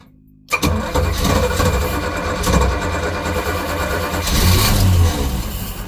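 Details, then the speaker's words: Volvo Penta 454ci V8 boat engine, first start after fitting an HEI distributor with the rotor off the old mark: catches abruptly after cranking, runs lumpy and surging; hard start from over-advanced ignition timing. "Sounds like it's out. I won't be surprised. No, she's out of timing."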